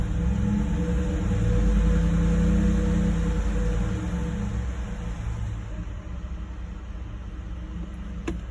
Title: Coyote 5.0 bad bearing or something else?